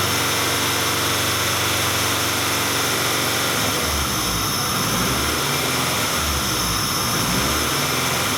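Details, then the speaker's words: 1994 Acura Integra, 1.8 L DOHC engine, warm idle: speed hunts up and down every couple of seconds, typical Honda-Acura idle surge; fixed by adjusting the cold fast idle valve. "This is a 1994 Acura Integra with a 1.8 liter dual overhead cam engine. And what we have is the typical Honda-Acura idle speed surge."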